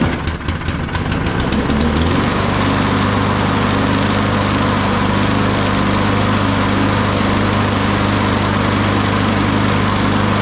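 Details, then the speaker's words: Craftsman M230 push mower after tune-up with carburetor cleaner and a new blade, still wet: a few uneven pulls, then it catches in about two seconds and settles into a steady, even run; starts easily and runs healthy. "Even while it was wet, the thing fired up without issue. That's telling us that we're not gonna have issues going forward with it."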